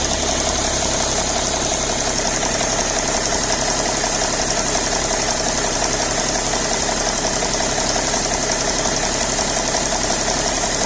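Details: BMW E60 525d diesel, fresh 5W30 oil: after start a fairly regular light tick through the idle clatter while cold, gone once engine reaches about 80°C; source unknown.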